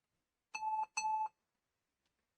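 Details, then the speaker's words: Lenovo ThinkPad L13 Yoga with intermittent booting, at power-on: two short, even mid-pitched beeps about half a second apart, a critical low battery warning; battery needs charging, laptop otherwise working. "Critical low battery. So the battery needs charging on that now at the moment, but it is actually working at the moment."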